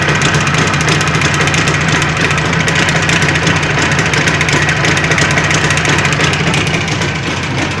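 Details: Jawa 638 two-stroke under build with a tired cylinder-piston group, revving: irregular rattly knock under the exhaust at roughly three per second; crankshaft knock and chain rattle.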